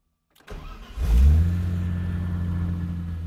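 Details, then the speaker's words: BMW E30 with MS3Pro ECU, first cold start on a VE-table-generator fuel map, engine at about 95 degrees: brief crank, catches on the first try and flares, then settles into a smooth, steady idle; a clean, healthy start. "All right, first try. That's pretty good."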